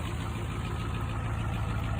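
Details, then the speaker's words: 1992 Ford F-250 IDI diesel truck, bought to flip: low, lumpy idle with uneven clatter and pulsing beat, smoothing out a little, smoking heavily; rough idle, owners suspect injectors, may clear after warm-up. "but anyway, it is running, smoothing out a little bit, smoking like hell, which is to be expected from one of these."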